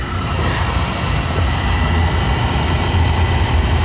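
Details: Oil burner that had been putting black smoke out the chimney, fired up again after service while draft is checked: steady, even low roar with no surging or puffing; normal burner operation.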